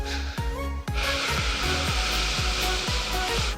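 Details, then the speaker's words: BM-800 condenser microphone: a constant loud hiss over a low steady hum, with soft sweeping clicks about twice a second, loud enough to disturb speech; noise and grounding problem, cause not confirmed. "itu itu suaranya cukup kencang eh mengganggu suara Ayah kita ngomong"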